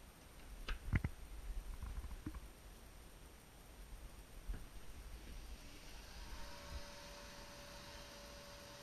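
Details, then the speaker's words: Pellet stove blower motor taken from a scrap stove, refitted with a new gasket and plugged in to test: a few clicks, then it spins up to a steady, even, clean hum. Normal blower motor run. "we're gonna do now is we're gonna plug it in and just make sure the blower works before we turn around and hook it back in"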